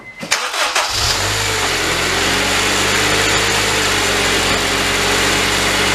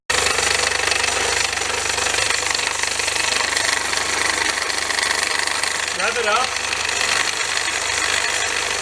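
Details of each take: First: 2002 Honda Civic Si EP3 K20A3 after replacing a belt idler pulley whose bearings had failed, causing a rattle at 70 mph. Crank, catch, then smooth even idle, no rattle or chatter, pulley not wobbling. Normal accessory belt drive after repair. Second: 2002 Honda Civic Si EP3, K20A3 engine: loud, fast, uneven metallic rattle over the running engine, audible in-car at 70 mph, plus squealing; the belt idler pulley visibly wobbles and the belt is sloppy.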